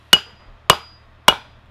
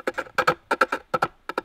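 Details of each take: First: Hammering a mandrel into a new wooden bowl blank for a pole lathe: five sharp, dry, dead cracks without ring, struck until the dry sound shows the mandrel sits tight with no play. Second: Pole lathe, cutting a foot on a freshly axed, rough bowl face: short paired scraping bursts about every half second, not a full cut, from high spots hitting the tool.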